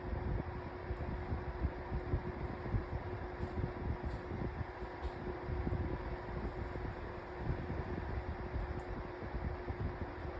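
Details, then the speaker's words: 2024 Lasko 1823 18-inch pedestal fan at low speed: steady low whir with a faint constant hum tone; the whirring noise said to affect all 18-inch Lasko fans, cause not confirmed. "Um so, all every single 18-in Lasko fan that you buy is going to have a split. It's going to make that annoying whirring noise."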